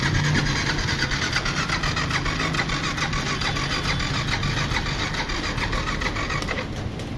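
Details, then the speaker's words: Yamaha FZ V3 FI, no-start after engine work and earlier accident with stalling complaint: starter cranks steadily about two turns a second but engine never fires; fuel pump not working, no connection/signal reaching pump. "ശരിക്കും പറഞ്ഞാൽ pump work ചെയ്യുന്നില്ല ഞാൻ നോക്കി fuel pump work ചെയ്യുന്നില്ല fuel പമ്പിൽ connection വരുന്നില്ല"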